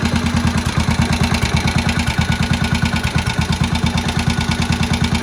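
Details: Old barn-find Moto Guzzi single first start after 40 years, head work done: even steady thump about three beats a second, no misses or knocks, oil tight and circulating; ticking over nicely.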